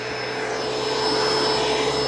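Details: Curb-found Bissell ProHeat Essential carpet cleaner with a replacement Kenmore Intuition cord, filter screen broken, test-run on a power strip: constant airy motor hum with a clean high whistle, no grinding, smoking or bearing noise; motor sounds healthy.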